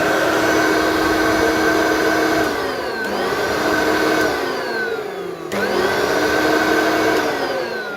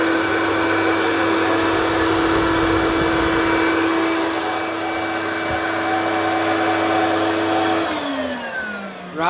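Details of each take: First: Hoover vacuum from the tip with good suction. Loud, high motor whine on startup that holds, sinks, then climbs again on restart. The owner suspects dry motor bearings and plans to grease the motor. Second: Hoover vacuum from the tip; the owner suspects the electronic speed LEDs are faulty. Steady, even motor whine with a strong airflow rush and no pitch change, then a smooth spin-down. Running normally.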